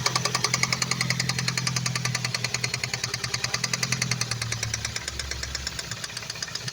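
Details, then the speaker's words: Freshly rebuilt Ford Focus ST: sharp, regular ticking at idle about two and a half per second over rough running, knock heard on one side, not the timing chain; owner suspects injector, cam phaser or split coil, bad coil on cylinder three found. "I don't know if it's an injector I don't know if it's a camp phaser see not on the timing chain it's not over here I'm getting a knock around over here"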